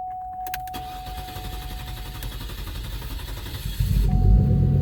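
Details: Cadillac STS after fuel filter replacement: the starter churns at an even low rhythm for several seconds before the engine catches and roars. Long crank while the fuel system primes and builds pressure; no leaks found.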